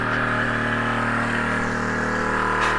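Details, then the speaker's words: Nissan GQ Patrol ARB air compressor after pressure-switch repair, key on: steady fast pumping drone with faint hiss that never switches off at pressure; compressor not cutting off, likely a pressure leak. "Does it switch off at temperature? Pressure. Well, it's pumping for a while. It's still pumping."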